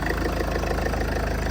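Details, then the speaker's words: Salvage Range Rover after a front-end rebuild, first start: slightly loud at first, then a steady, even, quiet idle with no knocks or ticks. The engine sounds healthy at a normal idle. "actually really quiet might be a little sound a little louder on here but yeah wow that's sounds really good"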